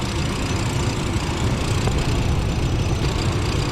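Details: 1996 Chevrolet Blazer LS, warm idle after running a few minutes for a transmission fluid check, dipstick showing no fluid: low, even idle rumble, steady, no knocks or tapping; normal warm idle.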